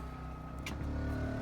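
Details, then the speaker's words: RV 3700 W generator running a Coleman Mach 15 15,000 BTU air conditioner fitted with a Supco SPP6 hard-start capacitor: steady low drone that rises in pitch and loudness as the AC fan comes on and the load hits. "as soon as we hear the fan come on and the generator ramp up I'm going to show you guys the voltage"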